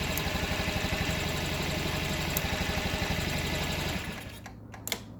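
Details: 2012 Honda Ruckus scooter, fuel and spark confirmed, carb cleaned: starter spins the engine at about four even beats a second without catching, throttle changes nothing; super-gummed carburettor, solved by a new carb.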